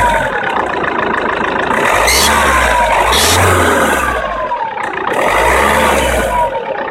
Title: 1.9 cdti strange noise squeal from cold stops after after min